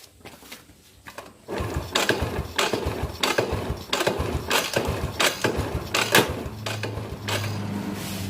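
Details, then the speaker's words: Yamaha Jupiter Z that won't start, cranking while a jumper on the white wire from the regulator (kiprok) socket is touched to the body: uneven starter whirring and no firing. No spark, so the white wire from the coil is suspected broken. "Jadi teman-teman bisa lihat ujung dari kabel jumper ini tidak menghasilkan arus listrik ya, karena tidak ada percikan api."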